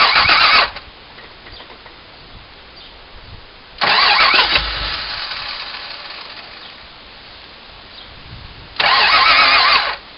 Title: Won't Start